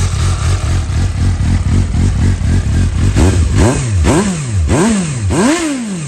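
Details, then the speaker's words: 2012 Suzuki GSR750, 18,000 km, dropped with cosmetic damage, Yoshimura carbon exhaust: repeated sharp throttle blips rising and falling cleanly with a deep, even exhaust note and no clatter; healthy engine, normal revving. "does sound really really nice beautiful bite"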